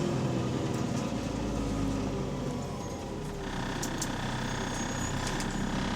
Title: Exhaust Leak | AL DW486 On Bus Route 144 Part 2